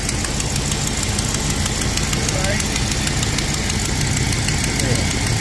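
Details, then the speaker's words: 2005 Chevy Express 3500 with the 6.0 L engine on a cold start, before the bracket fix: a rapid puffing tick over the idle that keeps time with the firing, from an exhaust manifold leak. "going to do a cold start so you can hear the leak you can hear the uh leak and uh my leak"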